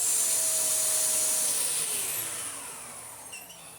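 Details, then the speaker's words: Dyson DC54 Cinetic cylinder vacuum after a refurbishment with washed, reassembled cyclones: strong, even rush of air with a steady high hiss as the motor tone eases down; airflow is better than before and the cyclones flow freely. "do make a very distinct sound with all the air rushing through the Cyclones marvelous that is perfect news it mainly means I put that together properly because if it wasn't that would be a pain"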